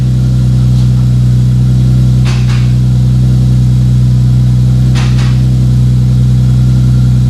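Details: 2JZ-GTE twin-turbo swapped MKIII Supra after reassembly, five-dollar failed part fixed and turbo blankets added: idles steady and even with firm low drone, no misses or knocks, just a couple of light clicks; running normally.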